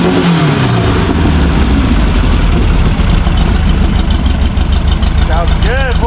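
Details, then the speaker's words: VW air-cooled engine in a Baja buggy, claimed 130 hp naturally aspirated, timing about 28°: catches quickly, crisp rumble rising cleanly with throttle, steady even firing; normal revving. "what's that sound like that sounds like 130 horse baby VW power naturally aspirated"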